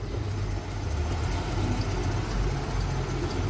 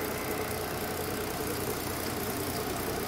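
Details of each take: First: Mercedes-Benz SUV, newly bought by the owner, with codes P0300, P2090 and P0353 and a flashing check engine light: a deep, uneven idle with a lumpy, skipping beat, a misfire. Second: Mercedes-Benz SUV that had codes P0300, P2090 and P0353, idling after repair with zero misfire counts on all six cylinders: a steady, even idle hum with no misses, ticks or knocks.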